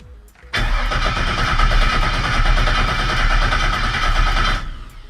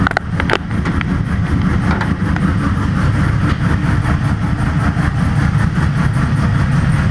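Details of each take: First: Rebuilt vehicle fuel system test: steady starter cranking about four seconds that never catches; old fuel pump suspected not pumping, so replaced with a new pump. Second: Vehicle rebuilt after an accident, test-fired with a new fuel pump and fuel system: a steady, even low engine drone with no knocks or misses. It still runs okay, with a minor fuel leak from untightened fittings.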